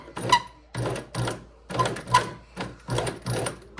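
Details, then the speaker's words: EuroProX Shark sewing machine just cleaned and oiled: short pedal-driven stitching bursts with a thin high chirp; squeak from somewhere near the top, source unfound. "Somebody's squeaking. Somebody is squeaking. I don't like that sound so much."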